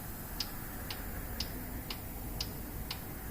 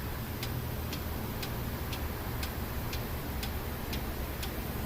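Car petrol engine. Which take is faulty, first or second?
first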